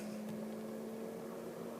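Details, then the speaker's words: Electric radiator fan activated via Delphi DS150 diagnostic tool, ramping to full speed: steady even whine with no rattle or scrape; normal radiator fan operation. "Don't know if you can hear that in the video, but that's the fan at the front, and it'll go up to full speed. You hear the whine"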